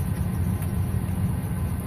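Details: 2007 Ford F150 that cranked but wouldn't start, idling after the broken fuel pump driver module was reconnected and zipped into a bag: steady, even, unbroken low idle rumble, no misses or knocks. Normal idle after repair.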